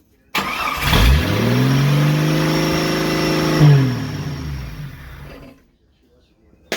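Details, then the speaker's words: Jeep YJ after a 4.2 to 4.0 engine swap, first start, O2 sensor unplugged, loud exhaust; catches and climbs quickly to a fast loud idle, then shuts off; owner suspects high idle, uncertain. "Think we might be suffering from a little bit of a high idle. I don't know though. Sounds like it."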